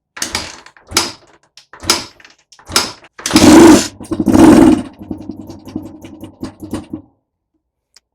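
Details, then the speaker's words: Reviving an old Honda XL250R dual-carb single-cylinder 250 with good kick compression: kicks, short rough bursts as it fires briefly, then a low, uneven putter dying away; no crazy knocking, sounds healthy. "Well, all right. There you go. It's that easy. That sounded pretty good. I didn't hear any crazy knocking or anything."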